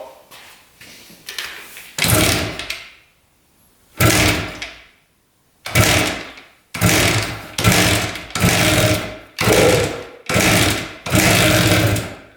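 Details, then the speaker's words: 1973 Harley-Davidson two-stroke on premix, choked, kick-started after long storage: repeated kick bursts with a few weak pops, never catches; fires but low compression prevents running. "It wants to fire. It just doesn't have enough compression."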